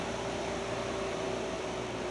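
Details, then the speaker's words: Optoma X600 DLP projector, after a jammed fan was freed of a stuck piece of plastic: steady, even whoosh with a constant hum, no ticking or rubbing; both cooling fans running normally. "So we got that fan running. Both fans are running."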